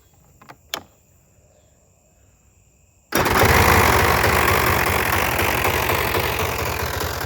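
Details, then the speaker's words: Polaris Trail Boss 350, not started for a month or two, jump-started: a couple of faint clicks, then the engine catches instantly and settles into an even idle; healthy quick start. "started listen to that it's impressive"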